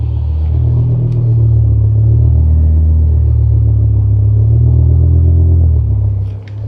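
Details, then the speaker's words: BMW M5 E60 V10 that stalled and idled very rough after an hour of highway driving at about 25°C: deep idle rumble cycling around 750–1000 rpm, swelling and sagging, sluggish; idle hunting, owner suspects the idle actuator, not confirmed. "hear that it's kind of sluggish it's like and that is a bit of our concern at the moment right now"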